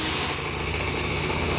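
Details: Honda Dio two-stroke scooter after cleaning oil flooding from a leaking oil pump and fitting a DIY gravity-feed fuel tank: even buzzing idle, steady, no misses or stumbles; runs cleanly.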